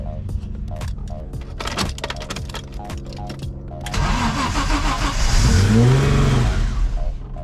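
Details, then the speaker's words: BMW E30 M-Tech after head rebuild with new valves and rocker shafts: cranks, catches, revs climb straight up without settling, like stuck throttle; caused by disconnected brake booster-to-intake vacuum line, a massive air leak. "why is it doing that it's like the throttle stuck all right so adjusted the throttle real quick because it kept shooting straight up"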